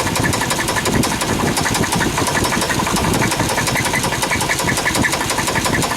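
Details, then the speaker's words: Chevrolet Suburban with valve cover off, after new plugs, wires, cap, rotor, EGR cleaning and brake booster: a sharp, fast metallic tick over the idle with an occasional squeak, traced to one rocker arm. "the uh sound is coming from this lifter I'm sorry this rocker I'm putting my point"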